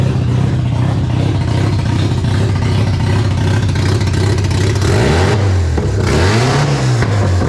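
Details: Mazda RX7 barn-find 12A rotary, carbureted, sitting for years, first startup after revival (carb flooding from suspected stuck needle and seat, small coolant drip): smooth buzzy note climbing and falling cleanly through free revs, no knocks; healthy until fuel runs out.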